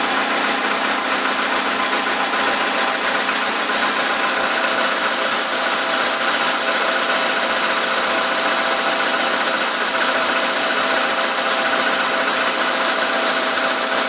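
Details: VW Polo sedan, 13,000 km mileage, at idle: a light, fast ticking knock of about two or three per second, valve-type, which began right after the first scheduled service (TO-1); cause not pinned down.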